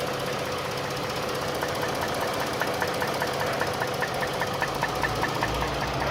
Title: V6 engine knocking sound(3)